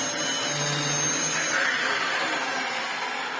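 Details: Restored Dyson upright vacuum (DC04/DC07) running its last stored replacement motor: steady high-pitched whine with a rough gritty edge from worn motor bearings; may run a few hours.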